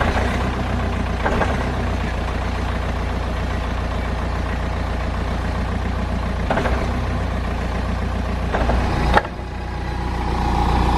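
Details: BMW E65 7 Series raised in the air, mimicking drive take-up by releasing the clutch: steady idle with sharp metallic clunks seconds apart, a metal-on-metal rear-end clunk heard on and off throttle.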